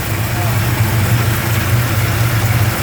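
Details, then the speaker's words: 1971 Plymouth Road Runner V-code 440 Six Pack on a cold start: steady, even low V8 rumble at idle with no ticking, pinging or knocking. Engine sounds healthy; normal idle. "Engine sounds nice, don't hear any unusual pinging, no unusual knocking."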